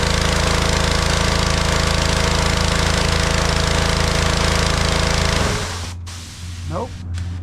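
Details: DeWalt 3400 psi gas pressure washer, water hose connected and running, small engine runs steady for about five seconds then abruptly cuts out and winds down; stalls after running, ignition kill circuit/sensor wiring suspected, cause not confirmed.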